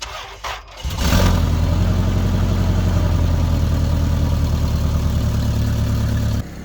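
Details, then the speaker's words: Toyota Tarago/Previa van with a hole in the exhaust flex pipe, at first start: engine catches into a fast cold idle with a raspy, puffing exhaust note; flex pipe later replaced with a used one and new gaskets. "Okay, so getting onto the exhaust today, because I've got that hole in the flex pipe. So what it sounds like when it first starts here now."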